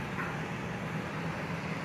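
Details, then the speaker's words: Coleman Mach 15,000 BTU roof air conditioner on a Four Winds Class C motorhome, heard inside near the seating area: constant heavy fan rush over a low droning hum, so loud it drowns out everything else. "with this thing on up here, you can't hear poo-poo. I mean, that's all you're going to hear is that thing."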